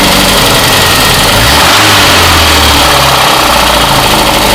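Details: VAZ 21099, apparently 2002, brought in for knocking: petrol engine revving loudly with a dull knock under the roar as revs rise; suspected connecting rod knock, checked by piston/rod play.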